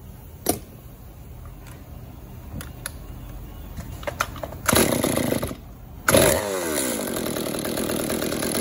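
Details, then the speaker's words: Stihl MS-192 top-handle two-stroke chainsaw that would not idle or rev, after cleaning a roughly 80% clogged exhaust screen: fires, revs briefly, then settles into a steady, even idle without hunting or dying. "now just listen to how much different and how much better this thing"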